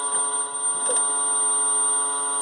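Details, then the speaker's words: Homemade high-power two-transistor oscillator with transformer, potentiometer turned down from low-frequency burst mode: steady unbroken high-pitched continuous wave at very high frequency, no pulsing or breaks, operating as intended. "when we lower it again it becomes a continuous wave at a very high frequency"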